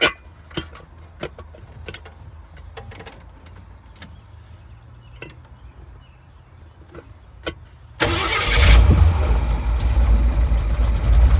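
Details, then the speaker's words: Small-block Ford 5.0 V8 in a van, first start after swapping points for a Pertronix electronic distributor, sat a couple days; fires right up into a slightly lazy idle, timing off and a little retarded, alternator belt squeal: retarded ignition timing. "Fire's right up, that's good. Definitely off on timing, but that's okay, that's expected. A little on the retarded side."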